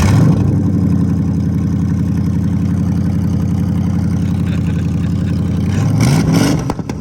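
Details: Crown Vic V8 after bad coil packs and original plugs replaced to cure misfires, junkyard transmission swapped (transmission code remains); deep even rumble, pitch climbs cleanly on blip with no stumble, firing on all eight.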